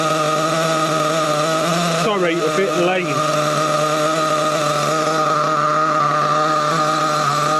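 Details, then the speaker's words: Trophy nitro buggy after a low-speed needle adjustment: the high buzzing idle holds steady, then wavers and warbles for about a second; the owner suspects the low-speed needle and plans to remove it and inspect it. "Right. I think it might be the low speed eagle's running a bit bit on the lean side. I'm going to turn it down a bit more. Right. Problems definitely with a low speed needle."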